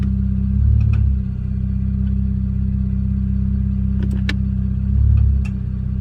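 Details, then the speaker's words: Infiniti Q50 at idle when shifting drive to reverse and reverse to drive: a few sharp isolated clicks from the rear. Dealer suggested replacing both axles but instead replaced and lubricated the loose rear axle nut, which ended the ticking. "I started making this weird noise when going from drive to reverse and reverse to drive it was like kind of like a clicking sound I know it's coming from the rear cuz I didn't hear from the front nor the transmission area"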